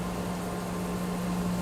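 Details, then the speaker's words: External cylindrical grinder taking a light finishing pass between centers, sparks showing almost no stock removed: even, steady hum with a soft hiss and no chatter or scraping, a smooth, healthy finishing pass. "and take one more pass. And you can see by the sparks, we're not taking hardly anything off."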